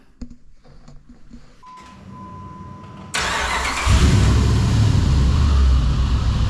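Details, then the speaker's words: 2005 Dodge Ram 1500 4x4 with a swapped donor Hemi V8, cold start after sitting a couple of days, slight throttle: cranks briefly and catches into a loud idle with an uneven pulse, at least one cylinder possibly still missing; injectors suspected. "it took off and it's sitting there idling I think I hear at least one cylinder missing in it yet but I'll get it warmed up again and good so uh we'll see if that will bring these injectors back around"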